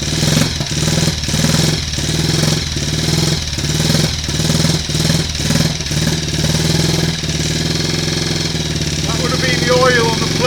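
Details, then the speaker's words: Triumph Tiger Cub single-cylinder after engine rebuild with new old stock conrod, first start, primary cover and alternator off, running off battery: uneven lumpy fast idle while warming; owner suspects ignition timing slightly retarded, not yet strobed. "Start it up then. I think we might be a little bit retarded there on the ignition timing. We're running."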